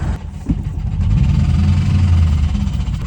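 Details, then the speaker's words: V8 ex-police Crown Victoria sleeper daily, smoking heavily a block from the shop: low lumpy idle stumbling with uneven thumps, running rough; owner believes engine is blown, possibly throwing a rod, cause unconfirmed. "ah you got to be kidding me man oh yeah I definitely blew it up I can just feel"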